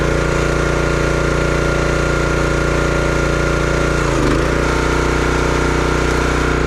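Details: Brute 30-ton log splitter, Briggs & Stratton engine (9.5 ft-lb gross torque, roughly 5-6 hp), after no-start repair: chugs steadily, dips briefly as splitter takes load, recovers cleanly; running healthy, though seemed underpowered.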